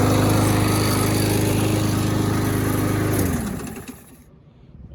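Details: Abused Troy-Bilt mower pulled from the trash, missing air filter, very low compression, carburetor untouched, fresh gas, started with a drill: steady even putter with no misses or knocks, then winds down and stops; runs surprisingly well.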